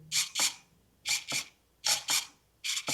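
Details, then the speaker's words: Traxxas 1/16 E-Revo VXL with a new Traxxas 2080R metal-gear micro servo replacing one damaged in a crash: short paired high whirs with clean stops as the steering sweeps and centers; normal servo operation. "turn remote on and go on just like that perfect"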